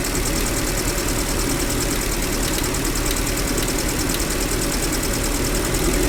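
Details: GAZelle Business with a UMZ-40216 engine after its cracked cylinder head was replaced: light, quick tappet ticking at idle that follows engine speed, from a pushrod rubbing the head bore edge. The fix is a different rocker arm with an offset hole.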